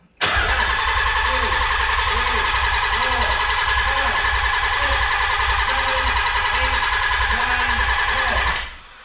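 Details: Nissan 300ZX, first start after sitting over winter, crank angle sensor disconnected so there is no spark or fuel: about nine seconds of even cranking at roughly 3.5 beats per second to prime the oil pump; normal cranking.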